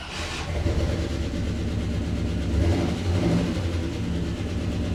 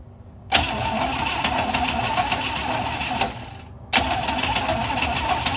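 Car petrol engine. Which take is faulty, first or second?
first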